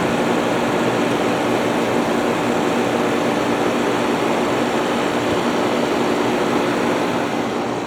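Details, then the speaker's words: Haier ESA410J-RGB 10,000 BTU window air conditioner, about 15 years old by owner's estimate, started on cooling, recorded from the compressor side: steady even compressor hum and smooth fan rush, no knocking; normal compressor start. "All right, that fired right up. No problem."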